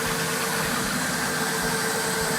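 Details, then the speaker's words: 2002 Formula 37PC boat, twin engines idling, heard with the lazarette open: steady, even drone with a faint constant tone, no knocks or misses; both engines running smoothly and healthy. "so you can see the engines here the engines running with the lazarette open you hear them i'm sure they're quite quiet once everything's closed up"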